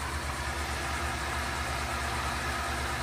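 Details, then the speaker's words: New Aquastrong 1.5hp 230V pool pump with timer after install and rewired connections: smooth even hum, steady low drone, no rumble, ticking or grinding; much quieter than before, normal running. "way quieter and right now I have mine set to come on at noon run for 12 hours so it'll shut off at midnight it's quiet so shouldn't be an issue where you hear it"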